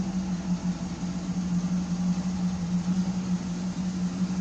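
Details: 1972 Pontiac Firebird Trans Am V8 after cooling air pocket cleared: steady, even low burble with no misses, knocks or ticks; owner thinks idle is still a little low and might raise it. Normal idle.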